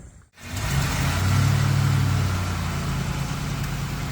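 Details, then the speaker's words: Vehicle cold start in freezing Québec winter; engine cranks briefly and catches cleanly, settling into a steady, even idle. Owner says it now starts better and will check again next morning. Normal cold start. "alors ça démarre mieux on verra demain matin"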